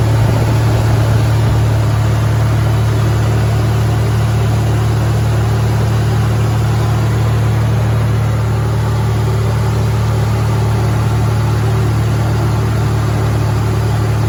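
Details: Supercharged Toyota truck ("Ole Red"): a deep, loud, blatting low rumble held steady, sounding like a little NASCAR because the rusted-out exhaust is leaking.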